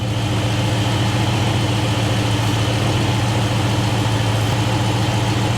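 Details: 1967 Mercury Cougar idling after oil and filter change (Castrol GTX Classic 20W-50, Wix 51515), checking for leaks: steady, even low rumble with no misses, knocks or ticks; engine idles smoothly.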